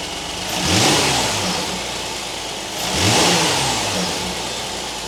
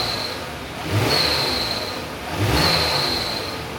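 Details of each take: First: 2019 Kia Sorento 3.3 V6, after fixing a cold-start belt chirp/squeak: three smooth revs rising and falling cleanly, no chirp or squeal from the serpentine belt; the accessory drive sounds healthy and the noise is gone. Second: 2019 Kia Sorento 3.3 V6, cold start: high, thin squeal that rises with each quick rev, a constant chirp when cold that fades once warm; serpentine belt squeal from a worn idler pulley bearing and weak tensioner.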